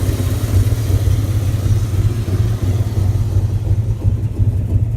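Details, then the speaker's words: 1998 Dodge Ram 5.9 Magnum V8 with new valve seals and a cracked catalytic converter: lumpy idle with an irregular stumble about three times a second; a nasty misfire at idle with heavy blue smoke, no overheating, oil pressure fine. "it just has a really nasty misfire and a lot of blue smoke"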